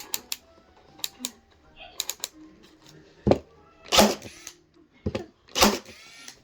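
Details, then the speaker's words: Ryobi 18V 3/8 in. crown stapler with drive force raised from minimum: sharp snapping shots at irregular intervals with no staple fired; dry firing because the staples were loaded the wrong way. "you can hear the difference. But why isn't it shooting the staple?"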